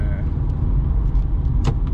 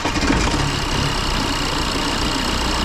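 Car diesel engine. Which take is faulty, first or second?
second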